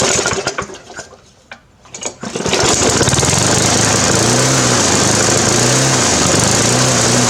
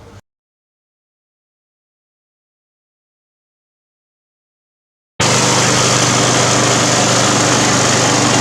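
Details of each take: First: Briggs 350 Classic lawn mower after new governor springs, diaphragm and gasket: catches after a couple of pulls, then rises and falls in slow hunting waves; a big crack in the gas tank under the carburetor joint is blamed, and swapping tank and carburetor fixed it. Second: Briggs & Stratton 350 Classic mower after swapping in another engine's fuel tank and carburetor, replacing the cracked tank: starts straight away and holds a steady, even high-pitched run with no surging or hunting; healthy.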